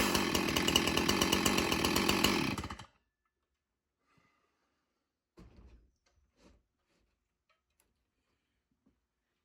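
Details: Stihl MS361 Farm Boss chainsaw with 20-inch bar: strong, even buzzing engine note for a couple of seconds, then it shuts off cleanly; chainsaw running healthy.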